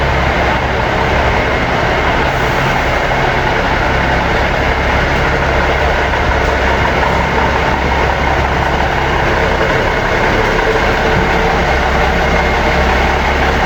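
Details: Seddon Atkinson 311 Cummins diesel truck yard find, air building up after start: steady heavy rumble at idle, even throughout, no knocking or misfire; normal idle.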